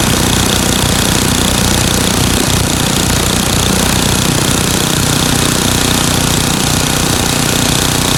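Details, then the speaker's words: Craftsman 9 hp Tecumseh snowblower engine after fix: runs flat-out at an even speed with no hunting or surging, after adjusting governor speed-control spring tension and setting the screw to about 3600 rpm, checked with tachometer. "and you can see that this was not doing this motion anymore so now I've gotten rid of the surgeon just by adjusting the tension on the spring here"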